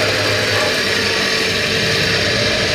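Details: Half-horsepower Tullu water pump motor that would not lift water, after opening and repair: steady, even motor whir under a constant rush of water, no knocking or rattle; running normally with improved flow and pressure.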